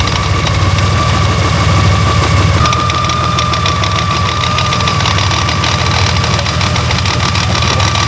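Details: Honda Gold Wing GL1800 engine at steady idle with a fast, uneven ticking and knocking abnormal noise, getting progressively worse, with occasional vibration felt through the handlebars.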